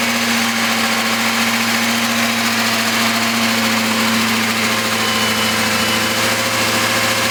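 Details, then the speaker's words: Freshly rebuilt BMW S62 V8, first start-up: steady idle with a light, fast, even ticking on top; lifter noise. "Sounds like an S62 with some lifter tank, huh?"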